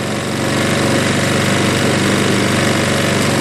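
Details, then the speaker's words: Craftsman 22-inch self-propelled front-wheel-drive mower with a 6 hp Briggs engine and bagger, started with carb cleaner after the carburetor bowl was cleaned, RPMs adjusted higher; brisk, even idle with no misses or knocks, judged about right. "That's about good."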